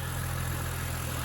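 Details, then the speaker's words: 2009 BMW Z4 E89 2.3i sDrive 6-speed manual, recorded under the bonnet: smooth, steady low hum with no ticks, knocks or hunting, starts beautifully. Normal idle. "um no funny noises starts beautifully"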